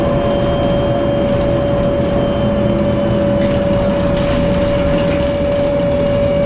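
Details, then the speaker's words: Dan bus 92-001-01 driving on Sderot HaHagana, Haifa: a steady, piercing whistle holds one pitch over the rough diesel drone and road noise throughout the drive, an abnormal unpleasant engine noise; cause not identified. "צלילי מנוע בליווי שריקה רעש מנוע חריג לא טבעי"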